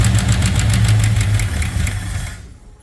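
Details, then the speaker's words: 1964 Ford Thunderbird V8, first start after freeing stuck valves, a top-end rebuild and a repaired spark plug wire: far less clatter, but a faint light tap over the idle, probably two lifters not yet pumped up. "well that was significantly better still heard a little Taffy tap but that's probably my two lifters not pumped up"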